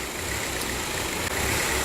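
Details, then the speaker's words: 2004 VW Passat TDI (BHW diesel) at idle, shaking and stumbling from a misfire; the owner first suspected a bad cam, and the EGR sticking open is to be checked, along with the injectors and their wiring. "okay we've got the engine running as you can probably hear it's shaken and stumbling obviously this is a misfire"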